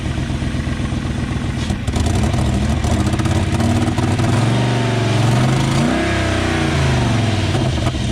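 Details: 1994 BMW 740i V8 after plugging a ripped brake booster vacuum hose: idles and is blipped, the note rising and falling smoothly with no hiss or stumble. The vacuum leak is fixed and it runs clean.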